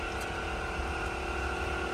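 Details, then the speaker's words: Newly installed variable-speed pool pump motor replacing the old one, running on its low setting: a quiet, even hum with a steady tone and no knocks or rattles, and no leaks. Normal running. "So, listen to her purr, baby. She's running just fine. No leaks."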